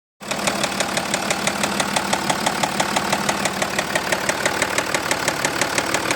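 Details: Jaguar XF S 3.0 V6 diesel 275: sharp regular ticking, about three per second, over steady diesel idle; persistent engine knock, origin not stated in clip though issue reported resolved.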